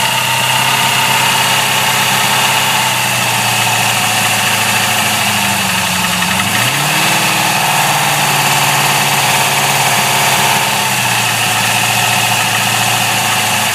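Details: GM LS1 V8 at idle: a fast, irregular tapping over a steady hum with a brief rev dip; an unknown knocking noise with gudgeon pin failure suspected but not confirmed.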